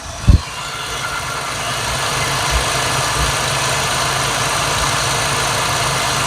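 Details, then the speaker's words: Jeep 3.6 Pentastar V6 just after changing from 0W20 to 5W30 synthetic oil to cure valvetrain ticking; brief thump then steady even idle, smooth low hum, no obvious ticking; valvetrain sounds quieter and happier; normal idle. "But honestly, to me, it already sounds like it's a little quieter. I mean, right off the get-go here, the Valvetrain sounds quieter and happier to me."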